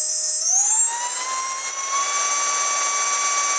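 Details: Micro inrunner motor after replacing a faulty bearing; it had sounded rough and made a popping noise before. A clean tone climbs over about a second, then holds steady with only air rush and no rattle or grind. Much quieter; healthy run.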